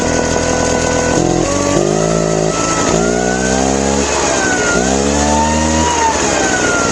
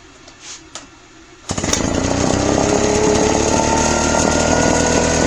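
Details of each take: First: Craftsman two-stroke backpack leaf blower, after a carb clean for a complaint of dying on throttle: hard to start, then the buzz swells and sags as the throttle opens, revving up slowly before a steady whine; once revved up it sounds good. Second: Craftsman backpack leaf blower two-stroke after carburetor cleaning (previously died on throttle): slow to rev up, then a strong, steady high-rev buzz without surging. Normal running at high revs.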